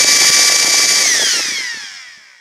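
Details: Ryobi P738 inflator with a no-start fault, run after repeated partial trigger presses; high steady motor whine drops in pitch over a second or two as it spins down; not the switch, apparently not batteries, suspected handle electronics or motor.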